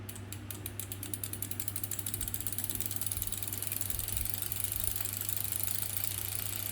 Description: They said it's normal. clicking sound when pedalling.